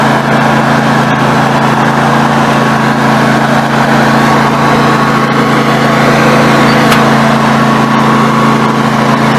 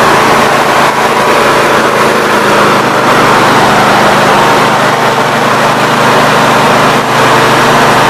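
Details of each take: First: Snapper NXT 25-48 riding mower engine after carburetor replacement, warming up: steady, even idle hum with a faint stumble now and then; occasional misfire, cause not pinned down. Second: Snapper NXT 25-48 riding mower engine after carburetor replacement, test-run with the cooling cover off: catches and settles into a steady, even run with no misses, surging or knocks; normal running.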